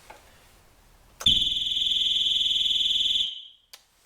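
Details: Triumph Trophy 1200, off the road six years, new battery: shrill steady high-pitched alarm for about two seconds then stops; alarm triggered because the key fob battery is flat.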